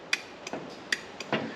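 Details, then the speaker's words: Remote-controlled hydraulic log splitter's 12 V DC push-button control box under test: five crisp, clean single clicks over a quiet background as the solenoid, confirmed to have power, pulls in normally. "So we have power here coming to this solenoid on the push button. We have power coming to this solenoid. Lovely. So both of these are working. I'm not sure if you can hear that click."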